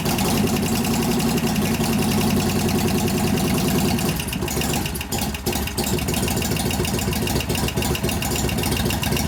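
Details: 1988 Harley FXR V-twin started up after lifter, pushrod and cam work, with a valve still held half off its seat; the idle is uneven and busy with a light, quick tick over it. Suspected noisy lifter, not yet located.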